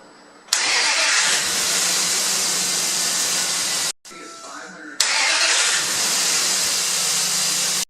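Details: 2001 Dodge Dakota, 4.7L with manual transmission, after replacing a failing slow-cranking starter with a remanufactured unit: a strong, even starter whir that catches quickly each time, no grinding or clicking; healthy starter engagement.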